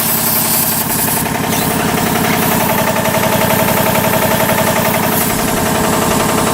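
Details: 40-year-old 25hp American Kellogg 462 air compressor before overhaul: steady sharp metallic knock about four a second over the run, rod knock on 3 of 4 connecting rod bearings.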